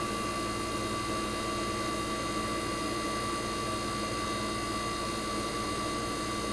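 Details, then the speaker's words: 1965 Fedders Weather Wheel air conditioner's 1960s reciprocating compressor running after first cold start of 2023 in a very cold shop: steady even hum, constant whine, no knocking or rattling; compressor warm, head and suction line ice cold, operating properly. "I'm going to let you guys enjoy the sound of a reciprocating compressor from the 1960s."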